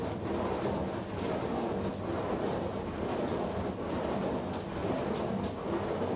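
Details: Bosch SMV53M70EU/A5 dishwasher mid-cycle: low steady hum under the water swish, swelling about once a second, caused by the seal of the upper spray arm.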